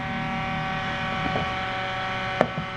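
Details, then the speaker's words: Restored vintage circulator fan with metal blades and an added grill: even, steady hum with a smooth whoosh of air, not choppy; it moves a lot of air and runs very steadily. "So there's the amount of air that it's moving. I'm not sure if you're able to hear that, but it does move quite a bit of air, and it's pretty steady. It's not as choppy as what you would imagine. So it's a very steady running fan."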